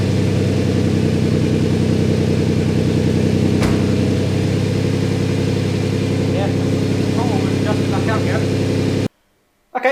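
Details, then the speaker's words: Twin-turbo Ford Capri after new gaskets resealed the chamber and the throttle stop was reset; catches and settles into an even, steady idle with no hunting or surging. Vacuum leak fixed. "you see that was a success um i turned the throttle body back up again and if it i've only it happened when it started just a tuning issue"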